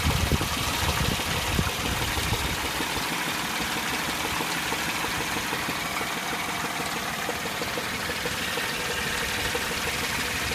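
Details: 2003 Chevy Tracker (Grand Vitara) petrol engine at idle: faint low-pitched hollow knock about twice a second, not consistently timed.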